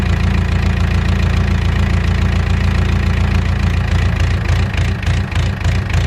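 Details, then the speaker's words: Mustang skid steer diesel after one injector cleaned and reinstalled: heavy low clatter, uneven lumpy beat about three knocks a second, still running rough; another injector pulled found very dirty. "so it's still kind of run not that great"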